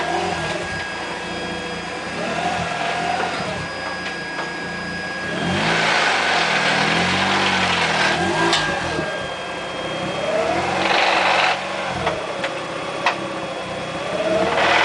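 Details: Car with new Exedy clutch: engine revs up and down with harsh rough grinding swelling as revs climb; grinding suspected from new clutch.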